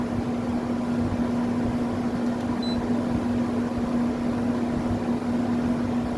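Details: GE-branded (Haier-made) 10,000 BTU window air conditioner, about 2021, drawing about 5.4 amps in cold ambient: even steady hum of compressor and fan, no rattles or squeals. Normal running.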